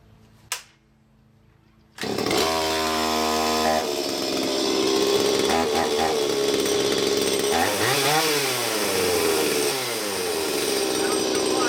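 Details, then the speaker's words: Stihl MS170 chainsaw after upgrades (12" bar and full chisel chain, muffler mod, adjustable carburetor, timing advance): starts, revs up and drops back cleanly, crisp steady high-speed scream, no bogging or hunting; tune sounds fine, left as is. "it sounds fine I'm just gonna leave it as is and do some cuts"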